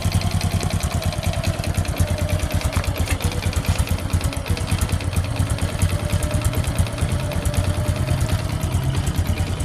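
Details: Honda Supra X 125 motorcycle idling roughly: choppy, uneven lumpy idle with wavering pitch that never settles, hard to hold idle; the idle fault is put down to the carburetor, which is dirty and flooding.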